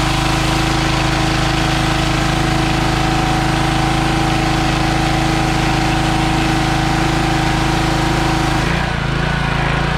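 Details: Troy-Bilt pressure washer with a small single-cylinder engine (believed Briggs & Stratton, auto choke), previously a no-start with varnished-smelling fuel: a steady, even drone that holds speed without stumbling. It sounds healthy.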